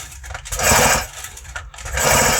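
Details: Stihl MS 180 chainsaw, built August 2019, about 1.5 years use, ignition off: two starter pulls each with harsh gritty rasp from inside the engine; bearing suspected, not confirmed; abnormal internal noise when cranking.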